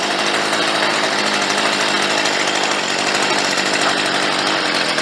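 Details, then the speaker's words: Stihl 55R two-stroke trimmer before carb adjustment: high, steady buzz with a thin, raspy edge; sounds lean, needing more fuel on the low end, so low-speed screw backed out. "good sounds like she could probably use a little more fuel on the low end."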